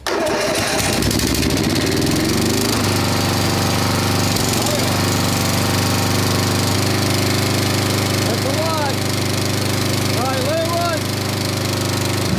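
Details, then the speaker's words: 1990s Snapper riding mower, Briggs & Stratton engine, sat for years, brake on: even steady low thrum at constant idle, no hunting, knocking or misfire; motor sounds great. "run that motor sounds great [Music] that's the idle that's not bad"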